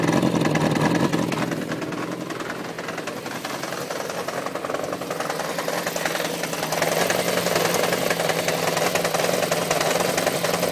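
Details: 1993 Yamaha XJ600 motorcycle idling with a steady, fairly quick knocking noise over its running note; owner also has an unexplained oil leak.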